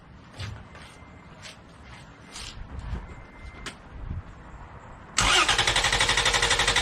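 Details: 2011 Toyota Tacoma 4.0L V6 with factory battery disconnected, cranked off an AstroAI S8 Air jump starter (1500A peak) as one of five planned cranks: quiet lead-in, then strong, even cranking at about four beats a second with no dragging, normal cranking.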